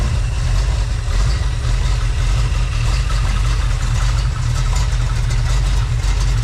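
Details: Freshly built Chevy small-block 350 (roughly 355) on test run; smooth even low-pitched idle, steady rhythm, no tapping, misses or grinding, healthy running.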